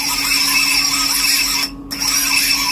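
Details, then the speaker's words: Siccario cinelifter with BH2812 v3 motors, HQ 8x4.5x3 props and Betaflight 4.2.8, set to quad X and armed on the bench with only four motors: a shrill, wavering whine that dips and surges as the motors oscillate from frame resonance. "so now we've only got four motors and if i arm it on the bench to do that if i arm it like this [Music] you can see it's not happy at all"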